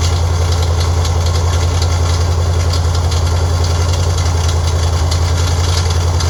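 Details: Freshly built Ford 302 V8 for a mid-80s Cougar (forged SRP pistons, hydraulic roller cam and lifters, aluminum heads, roller rockers, 600 Edelbrock carb) on engine run stand: loud deep idle with steady tapping three to four times a second; mystery noise, cause unknown.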